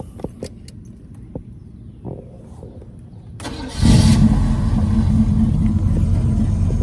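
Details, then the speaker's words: Chevy V8 with carburetor just after a tune-up with new spark plugs and the plug wires refitted: a few clicks, then it catches on the first crank and settles into a steady, low idle; quick, clean start. "Usually you had to stay in it, do all this other shit to get it started. It just cranked first go."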